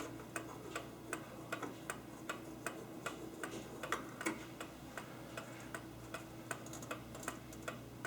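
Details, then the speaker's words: Antique clock from an estate sale, wound forward to show its loudness: crisp, loud, evenly spaced ticks about two and a half per second over quiet room hum; movement ticking healthily, though family finds it too loud. "And I tell you what, none of my family's happy with how loud that is, so I'll probably keep"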